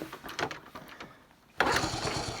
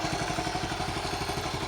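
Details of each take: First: 1974 Honda C50, unstarted since July (about 5 months), cold, clutch slips when kicking: scuffing kicks, then a sudden sharp burst of firing that fades at once; brief firing on kick start, won't keep running. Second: 1974 Honda C50 single-cylinder, just started after 5 months sitting, cold: quick, even putter with no misses or knocks; steady, healthy normal idle.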